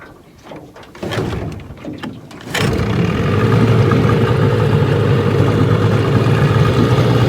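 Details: 1985 Johnson 6hp vintage outboard, restored, on a lake test run: after a few pulls it catches and holds a steady, even buzzing idle over water; runs well.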